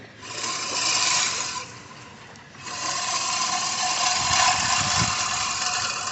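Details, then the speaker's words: Scotts reel mower after blade sharpening and reel-to-bedknife adjustment, pushed through short, uneven, weedy grass: a crisp rasping whirr rising in even surges, cutting cleanly with no clatter or scraping. "All my grass is always short, but it is cutting it. Here, let's see. This is kind of uneven, weedy stuff, but we'll find out. Oh yeah. Eats it right up."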